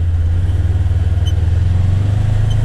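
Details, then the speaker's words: Polaris Ranger XP1000 with Hunterworks HW-925T CVT belt: steady low drivetrain drone rising slightly on slow pull-away, no squeal or slap; belt runs quietly. "the belt system is really quiet too like especially out the line we'll just kind of slowly pull out"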